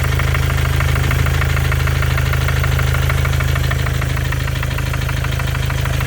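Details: 2014 Mercedes with OM651 biturbo diesel, 300k mileage, at idle: a sharp, regular tap about twice a second, like someone hammering, the same cold or hot; it sounds harmless, but the source is unknown.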